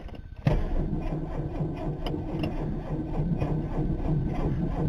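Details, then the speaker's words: 1985 Chevy S-10, carbureted, choke used, cranked on a partly recharged battery. Sluggish, uneven labouring crank that never fires; the owner suspects the battery is junk. "see if she cranks kind of I don't think we got enough balls here to fire it"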